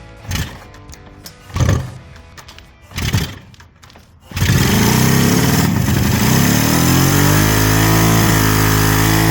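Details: Freshly restored 1975 Kawasaki H2 750 two-stroke triple, oil lines primed, cold first start: catches after several cranking bursts, then ragged, uneven, hunting idle; something seriously off, cause unconfirmed (ignition and carb checked later); rough running.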